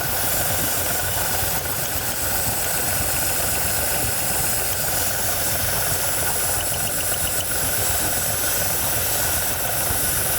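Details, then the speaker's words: 1971 Jeepster Commando Dauntless V6 at idle: fast light ticking riding over the idle, keeping pace with the engine, new once spark returned to a cylinder; pulling the plug wire changed nothing, source unknown. "I hear ticking in the engine oh no I hear that"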